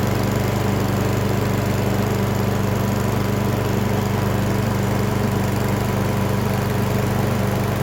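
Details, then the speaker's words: Briggs & Stratton 550EX lawn mower with a plastic carburetor, after cleaning the carb jet to cure RPM surging: steady, even putter at a smooth, stable idle with no rise and fall in speed. "all right so then i have it all put back together guys uh as you can see it was running perfectly"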